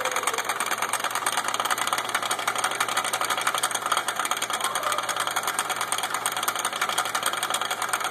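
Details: Suzuki front driveshaft with a broken, separated CV joint: light, uneven clicking about three per second over a steady engine hum; owner reported a slight clicking noise.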